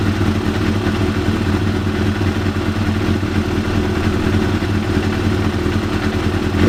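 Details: 1993 Yamaha YZF750R after new ignition coils fitted and plug caps seated properly to cure running on fewer than four cylinders: smooth, even four-cylinder hum, no stumble or skipped beats; now running properly on all four cylinders.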